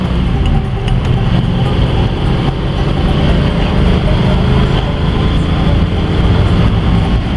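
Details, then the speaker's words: 1955 Ford V8 driving after an exhaust leak repair: low, steady burble under road rumble with no ticking or puffing; the exhaust is now quiet and sealed. "it's nice and quiet now"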